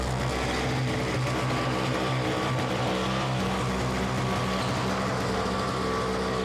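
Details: Simplicity 520 single-stage snowblower (5 hp, 20 in), first start on the electric starter after its repair, choke on: steady, even drone with no rise-and-fall hunting under background music, and the auger engaged; running smoothly without surging.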